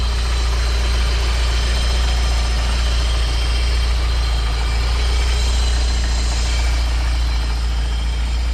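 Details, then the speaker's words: BMW E30 with M54B30 engine swap, cold start after sitting two weeks: fires right up into a deep, steady, even idle with no smoke, soot, cold-start rattles or misfire; healthy cold idle. "But here it is, cold start, 2 weeks from starting. Fires right up. No smoke or soot. No cold start rattles."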